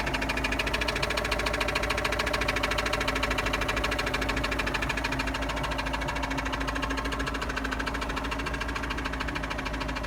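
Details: Engine or motor with the drive removed: a steady, regular knock about three to four beats a second, which starts only after 2–3 minutes of running; cause unknown.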